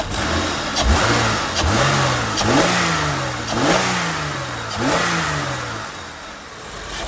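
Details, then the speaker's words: 2003 Holden VY Commodore 3.8 V6 after replacing all ignition coil packs (one had a very rusty terminal; MAF cleaning hadn't fixed rough acceleration): clean quick revs rising and falling evenly, no stumble or misfire; normal revving, fault fixed. "sounds pretty smooth to me i'm gonna call that a win so there we go that's what it was it was our coil packs"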